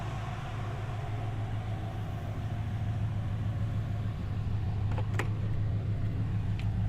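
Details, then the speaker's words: V8-swapped Nissan 240SX idling after reaching operating temperature, following a no-start possibly from air in a fuel line run near dry; low, even V8 burble with steady lope, no stumbling or misfires: running normally. "all right we're up to temp and everything's still running so that's a good sign yep seems like everything's good"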